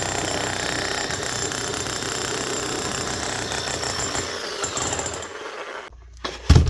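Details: 2005 Makita HM1202C demolition hammer, 20 years old, after a rebuild with new bearings, brushes and grease: rapid, even hammer blows on a steady motor note for several seconds, then it stops. The hammer action is working properly.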